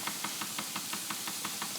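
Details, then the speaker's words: Wilesco D20 toy steam engine being reactivated after sitting unused: sharp, even knocks about six a second over a light hiss while running in one direction. It runs much quieter when reversed at about the same speed. Knocking, cause unconfirmed. "But there you can hear that knocking. So, we shut down and get ready to run in an opposite direction at more or less the same speed."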